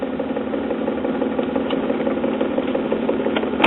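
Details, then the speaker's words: 1940s Vanity Fair 78 rpm record player running with a steady hum and a faint regular thump about twice a second from a dented idler wheel. "But as you can hear, that idler wheel has a little dent"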